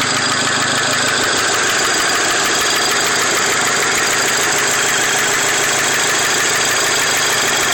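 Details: Volkswagen Mk5 GTI at idle: a steady ragged knock taps about twice a second over the engine's hiss; engine knocking noise, cause not yet pinned down.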